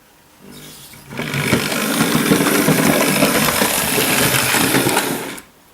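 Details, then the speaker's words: Hornby Dublo LNER tank model locomotive running past with a light, even whir and rail clatter, very little noise, unlike another noisy engine. "now did you hear the amount of noise it made not a lot was it really"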